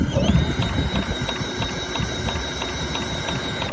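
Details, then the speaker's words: Vintage Craftsman mower saved from scrap, pulled over with a drill after cleaning the points: steady drill whine with even ticking about three per second, never fires, no spark; owner suspects the points weren't cleaned well, not confirmed. "so maybe we didn't get a good clean on the points we don't know probably going to have to take the flywheel back off again"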